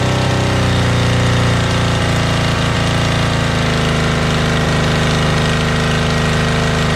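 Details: Motorbike started outdoors; when bought it ran poorly and its carbs were filthy: loud, even idle with a steady low throb and no misfire gaps. Normal idle, owner confirms both cylinders are running.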